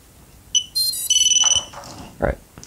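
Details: Leader 120 2.8-inch quad on power-up after its shorted VTX, which dropped voltage to the flight controller, was unplugged along with the camera; a quick run of clean high beeps stepping in pitch, then a short chirp: normal ESC arming tones, and it now boots.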